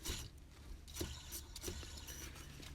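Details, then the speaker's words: 2000 Ford AU Falcon, belt removed, idler pulley spun by hand: gritty rough scraping; worn idler bearing, tensioner also noisy; both replaced with new serpentine belt, water pump, thermostat and hoses. "So that's the idler. You can hear it. It's very noisy."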